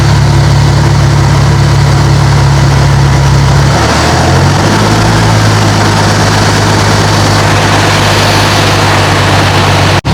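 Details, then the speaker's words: Nissan 370Z after fixing an air leak: steady low idle settling to a slightly lower even hum, no popping or hissing; normal idle after the fix. "oh my gosh we found what was wrong with a car I don't even know what that part is"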